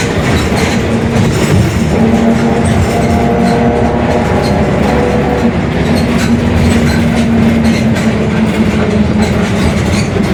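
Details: Mercedes-Benz OF-1721 Bluetec 5 city bus, 2021 build, Mascarello GranVia Midi long body: a steady low drone under the engine, with a hum around 200 Hz and a rolling rumble, a growling rear differential.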